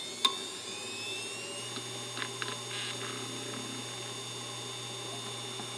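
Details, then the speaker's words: Hard drive from eBay, second power-up after spin-down: smooth spin-up settling into a steady hum, a few quick seek clicks and no repeated clicking; the drive sounds normal. "Okay, you heard it power up and it did a seek test. So, I'd assume this drive is probably okay."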